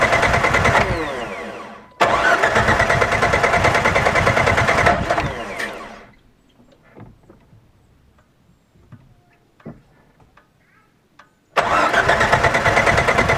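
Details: 1998 Jeep TJ that intermittently won't start: two long bursts of steady cranking, about three beats a second, never catching; the cause turned out to be the pickup (power) plate under the distributor cap.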